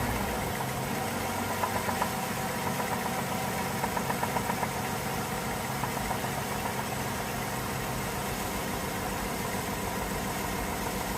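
Steady idle with a light, uneven ticking and tapping above the engine hum that keeps up with engine speed.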